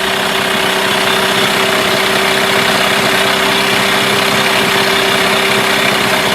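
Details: Mercury 8HP two-stroke outboard, unknown storage time, in test tub just after starting on second pull with a little choke: steady even buzzing idle at constant pitch, no knocks or stumbles; running fine.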